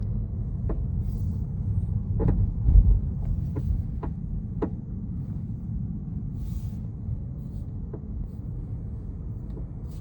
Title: Tesla model 3 knocking/rattling noise